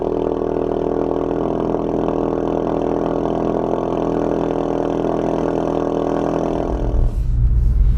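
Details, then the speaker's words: Mk3 Ford Focus RS back after an engine replacement, being bedded in, started in an echoing garage: loud, deep, even engine drone with a steady beat, no knocks or rattles; normal cold start. "I hope you like the sound of it. That startup always gets me every morning."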